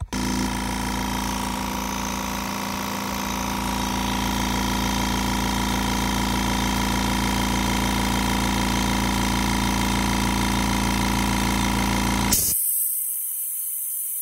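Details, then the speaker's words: Kobalt Quiet Tech 4.3-gallon air compressor, a few years old: motor drones steadily, then at cut-off a loud hiss of air floods out; owner's research points to the check valve stuck open; he plans to remove and fix it. "right there is right that thing right there is a check valve and from everything I've read and all the research I've done on it that's what the issue is"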